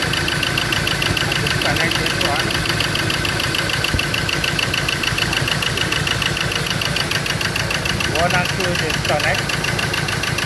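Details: Ford Ranger diesel, previously not starting, has a lumpy, loping idle about once a second, running on cylinders three and four only; cylinders one and two get no injector pulse, possible wire break or short under investigation.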